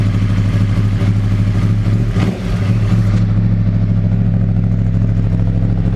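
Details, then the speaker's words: 2011 Yamaha R1 with 10,000 on the clock, cold start idle: light metallic clatter over deep exhaust thrum in the first seconds; suspected hydraulic cam chain tensioner not building pressure when cold, needing replacement. "Вот это он и есть. То есть уже пробег 10.000, он начинает, грубо говоря, уже, ну, при старте на холодную, да, номинальное давление не успевает создаваться."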